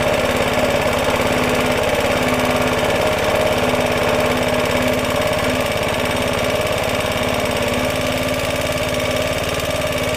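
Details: Roughly 70-year-old Suffolk Super Punch 17-inch cylinder mower, SIF 75cc cast-iron engine, oil and petrol added after carb and points clean, microphone fitted; quick even firing with a steady buzz, no misses or stalls; healthy normal running.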